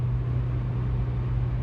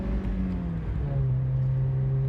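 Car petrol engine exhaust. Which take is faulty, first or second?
second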